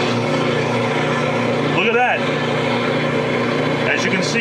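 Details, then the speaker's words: 2009? Whirlpool direct-drive washer, timer set to spin after agitating, with a spare Kenmore water level switch: a steady motor and pump hum with no spin whine; the tub holds still in neutral drain, as it should. "machine successfully went to neutral and that's all it takes"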